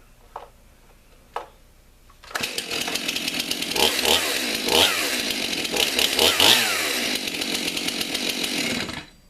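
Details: Stihl MS 291 Farm Boss chainsaw, already warmed up, with a freshly sharpened chain: fires after a couple of pulls and revs up and down crisply with no bogging. Healthy saw.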